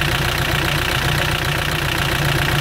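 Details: Mitsubishi L200 Sport GL diesel at idle: loud, heavy clatter with dense, uneven knocking; oil spatters out of the engine after each start and about 40 seconds of running, showing a badly worn engine with heavy blow-by.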